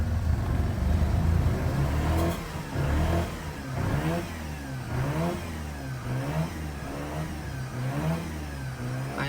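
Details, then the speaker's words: Mazda RX-8 rotary, cold, just caught after long cranking with a battery boost and the owner blipping the throttle. Revs rise and fall in uneven, stumbling bursts with heavy smoke as it clears fuel from flooding caused by extended cranking. "So, this is pretty much uh it's been flooded with me spinning so much. So, it needs to work this um fuel out of it."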